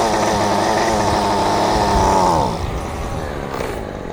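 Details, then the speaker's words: Champion two-stroke string trimmer with its choke missing, started only by priming fuel; buzz holds steady a couple of seconds, then revs sag and fade until it dies. Stalls because there is no choke. "Well, as I said before, without a choke, I can't start this without priming it with some fuel."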